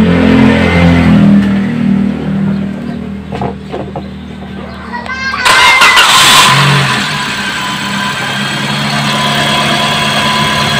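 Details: 2017 Toyota Vios petrol engine after work on the noisy water pump: cranks, catches cleanly and settles into a smooth, steady idle with no noise from the belt area.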